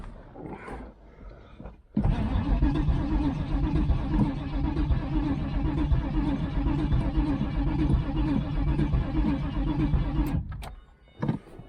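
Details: 1996 Pontiac Trans Am LT1 5.7 V8 non-runner, no spark or fuel suspected, coil wiring rigged; starter spins engine steadily for about eight seconds with even churning rhythm, never fires; cranks, no start.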